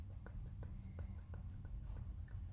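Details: Dull, evenly spaced clicks about three per second over a low rumble from the steering intermediate shaft (column-to-rack shaft) with play in its joint; the fix is replacing the shaft whole or cutting it and clamping with two steel clamps.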